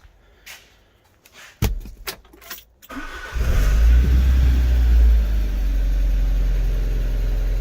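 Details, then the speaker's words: Alfa Romeo 145 Cloverleaf under restoration, some wiring and a vacuum pipe just refitted, start: few clicks, engine catches promptly into firm, even idle, no stumble; a top-end tick was later found to be a sticking hydraulic lifter. "I've not put those back in yet either, but at least we know it runs. Let's just start it up again."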